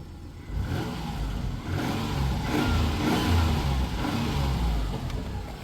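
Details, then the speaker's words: 1993 Dodge Caravan after head gasket repair: the engine revs up and down smoothly with a deep, even, quiet exhaust note and no rattles or blowing. Normal revving. "She's nice and quiet, nice and real quiet. Let's give her a good rev."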